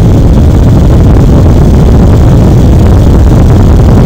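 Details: AMD Radeon HD 6950 2GB graphics card blower fan set to 100%, about 2400 rpm, mic one to two inches from the exhaust: loud steady rushing blow, no ticking, rattle or wavering; healthy.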